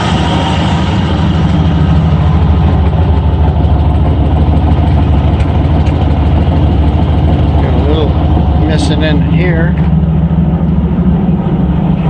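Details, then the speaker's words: Ford F-100 351W V8 with C4, at idle about 750 rpm just after fitting a new carburetor with a thick gasket: deep, steady, even idle with no knocking; owner notes one side louder and a little smoke he believes is oil; normal idle. "this side's a little louder see what 750 rpm just like got a little smoke coming out of here but i'm sure that's oil again"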